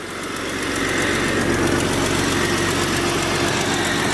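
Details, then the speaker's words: Jeep Cherokee 4.0-liter six after replacing power steering pump, reservoir, belt and harmonic balancer: steady even idle, faint ticky top end, no knocks or misses; slight leak suspected, later found leaking oil pan gasket. "Alright, start her up, see if she runs. Sounds like there's a slight leak, but she's running alright."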